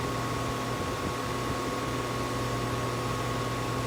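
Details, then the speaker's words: Two 2016/17 Rheem central air conditioner condensers, first start-up of the cooling season: steady even whir with constant low hum and fan rush, no knocks or rattles; running normally. "yeah so far they seem to be running good which is good"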